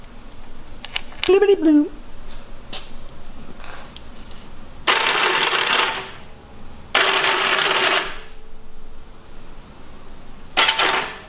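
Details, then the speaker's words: 1970 Honda CL350 before starter clutch rebuild: three short cranking attempts, each a harsh rattling clatter as the starter spins without turning the engine over, from a faulty slipping starter clutch. "that just sounded awful just tried to turn the motor through it just sounds like it's falling apart to be honest with you"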